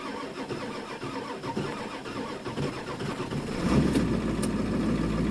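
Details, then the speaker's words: 2000 Ford Excursion 7.3 diesel, cold start with glow plugs and intake heater bypassed onto a booster battery: cranking catches into a rough, stumbling idle with white smoke; miss on a cylinder, at least one glow plug suspected dead. "it's got a Miss in it now it's blowing a little bit of white smoke out of the exhaust right smoke it's got at least one glow puck maybe not working"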